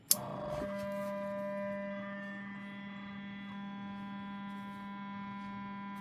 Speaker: what the hell is it it's always running I guess it's not like the uh little container